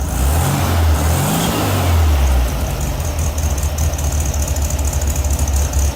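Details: VW Beetle 1600 air-cooled flat-four, previously misfiring, restarted after pulling the spark plug wires one by one: the revs blip, then it settles into a steady, even low idle that sounds better.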